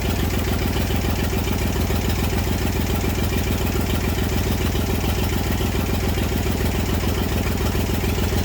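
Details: Massey Ferguson 35 diesel tractor, sat in woods 20+ years, revival start with water and fuel leaks: steady, even clatter at idle, roughly a hundred beats a minute, no misses; healthy old engine ticking over.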